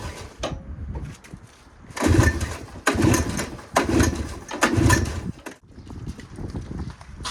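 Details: Honda Odyssey FL250 two-stroke, first start attempt after sitting about four months (owner wonders if oil and fuel separated): four pull-start efforts about a second apart turn it over but it never fires; cranks but will not start, cause not confirmed.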